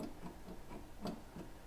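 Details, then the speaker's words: Mercedes R107 SL automatic transmission shift rod: light, loose clicks about three or four a second as the rod rattles under the car; the front bushing on the left-side shift lever has popped out and broken in half, and the rear bushing is also gone. "wonder what's rattling under my car let's take a look at the front bushing the front bushing is on the shift lever on the left side of the transmission and I'm looking at the shift rod there looks like the bushing is popped out"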